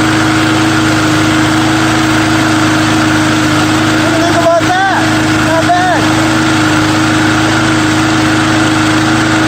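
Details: Small engine after a true cold start with undrained gas settles into an even, steady single-cylinder idle with no misses or knocks; owner thinks the primer bulb is partly plugged.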